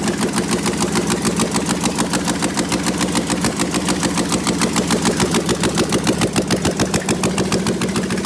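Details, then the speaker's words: Prepped engine with open headers, mass airflow sensor unconnected, open loop, old thin oil, about 32–36 psi oil pressure at idle: steady even idle with sharp open-header pops, no misses or knocks; healthy. "she fires right up so um open no headers at all"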